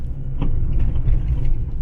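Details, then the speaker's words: Fiat 500 Abarth lowered on recently installed coil-overs, driving: dull loud thunk from passenger front strut tower over steady road rumble; traced to the strut top mount, replaced and upper mount improved. "here a loud thunk coming from somewhere near the passenger side strut tower"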